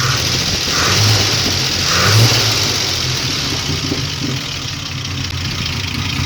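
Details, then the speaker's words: 1964 GMC truck V8, hot start after sitting, fuel pressure about 1.5 psi: idles around 500 rpm with uneven lumpy beat and odd skipped firing; slight misfire, owner suspects excess fuel from sitting. "so idle right now 500 and is misfiring a tad bit that's probably because it's been sitting so it has a little excess fuel in there"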